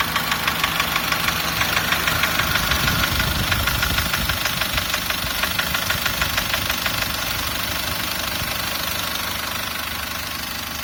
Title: Стук в двигателе SsangYong Actyon Sports 2, DTR2.0